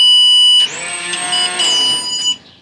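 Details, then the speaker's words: Three fuel pumps newly wired through ground-triggered relays, first power-up: sharp electric whine climbs to a high steady pitch, holds about half a second, then winds down. All three pumps are running, loud but normal. "i just wanted to make sure each pump was running it sounds like three pumps yeah it sounds pretty loud"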